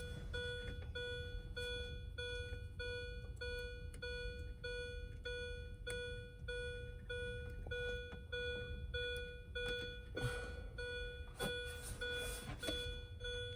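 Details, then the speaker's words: 2005 Mini Cooper S R53, 132,963 miles, no-crank, with the EWS3 module unplugged for a bypass test and the key out. A steady chime just under once a second; the owner suspects the disconnected EWS, unconfirmed. "Not sure why this is beeping right now. Might be because the EWS is disconnected."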